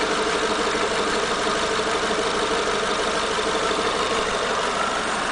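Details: Renault Megane TCe 180 at idle with busy, slightly irregular ticking and clatter of about three beats a second over the engine hum; the noise came back after the valve tappets were replaced, source not pinned down.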